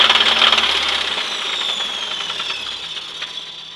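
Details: 1996 Chevrolet S10 4x2, 2.2L I4 MPI, 146,300 miles: sharp fairly regular tapping about four per second over a fading engine; internal knock, cause unknown, engine for sale for parts.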